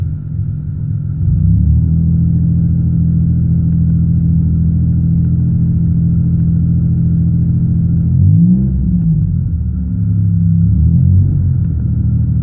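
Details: 1999 Pontiac Bonneville 3800 with high mileage, strange codes and a plugged cat: low, lumpy rumble with an uneven, stumbling beat under revving; misfire, still unresolved.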